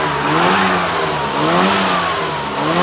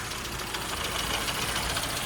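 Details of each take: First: Mini after road tuning with rebuilt fast road carburetor, 1.4 ohm coil, .025 plug gaps, 20 weight dashpot oil, custom needle and yellow spring: crisp clean blips rising and falling smoothly, no misfire or stumble; engine running healthy. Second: Late-model 998 A-series Mini road racer at idle: small four-cylinder beat stumbling and uneven with a papery top end; not the smoothest running, cause not yet traced.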